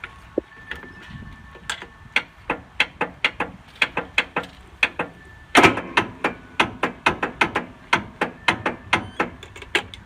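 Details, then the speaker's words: Craftsman LT2000 riding mower with Briggs & Stratton 18.5 hp Intek engine, which quit while mowing, cranking: sharp, evenly spaced clacks about 2.5 a second over a faint crank. The piston doesn't move; the connecting rod is broken, believed snapped off the crankshaft. "as you can see the piston is not moving it is confirmed this engine is dead it does not have any more life in it the connecting rod is broken I believe it snapped off the the crank"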